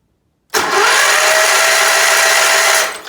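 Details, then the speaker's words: Case 446 "Big Wheel" lawn tractor twin, barn-stored several years, cranking on compression test: starter spins fast and even with no compression chuffs, 0 on both cylinders; later found debris holding the valves open. "Nothing, 0, 0. No compression on either side."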